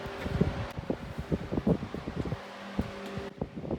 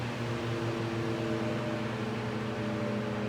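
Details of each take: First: Vintage Mimar 425 fan reassembled with rear felts cleaned and oiled: handling noise, then a steady hum on high speed with a light rattle riding over it, a fan rattle on high speed. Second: Vintage Mimar model 425 fan after cleaning and oiling the rear felts, running on low, where current drops only slightly from about 1.65 A on high. It gives a steady soft whir and air rush with no ticks; it rattles a little on high.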